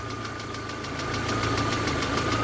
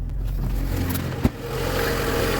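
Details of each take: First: VAZ 2112 warmed up at idle with faulty ignition module (resistance below spec): uneven thumps and stumbling beat as spark drops out and one cylinder cuts out, shaking; misfire from faulty ignition module. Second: VAZ 2112 at cold idle right after new ignition module installed, old high-voltage leads still fitted: catches and settles into smooth, steady idle with no stumble or knock; running properly.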